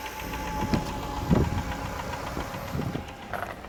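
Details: 1999 Jaguar XJ8 V8 at 122k miles: loud, irregular, heavy bottom-end knocks over a rough idle. Owner suspects a spun rod bearing caused by low oil from a valve cover leak and oil consumption.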